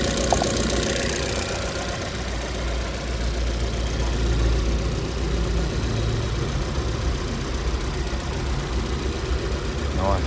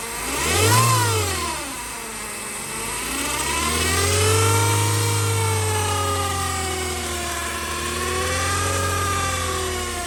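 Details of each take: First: Chevrolet Cruze 1.8, about 12–13 years old, at idle after a gearbox whine repair: steady, even low idle with no whine rising above the engine, the gearbox now quiet. Normal idle. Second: Chevrolet Cruze 1.8 transmission: loud jet-like howl rising and falling with revs over the engine, from broken internal parts; gearbox wet with leaking oil though level still full, so it is to be opened up.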